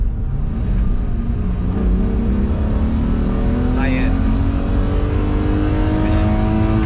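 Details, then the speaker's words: BMW E12 with euro M90B35 high-compression straight-six under acceleration on the road: smooth pull with pitch climbing steadily, no misfire or breaking up; a possible exhaust leak was mentioned; healthy engine. "That sounds pretty healthy to me. That doesn't sound like it's breaking up to me. Now it sounded good."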